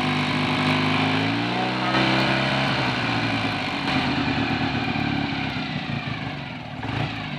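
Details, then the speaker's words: Rebuilt BSA A65 T twin, hot engine held at 3000 rpm: even, smooth firing with no knocks. The gauge showed low oil pressure, about 5 psi when slower, yet the 7 psi warning light stays off; the reading is respectable per BSA figures. "well believe it or not according to the uh bsa information the figure that we've got there at three and four thousand rpm is respectable enough"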